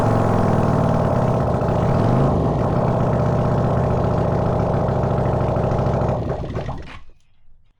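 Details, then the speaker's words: Honda CX500 engine on bench test stand, open pipes, no cooling: after swapping ignition coils it starts easily, open-pipe twin fires steadily at about four beats a second, picks up cleanly with a little throttle, then shuts off; normal running. "So that was a ticket switching around the coils and uh now she starts up like a dream."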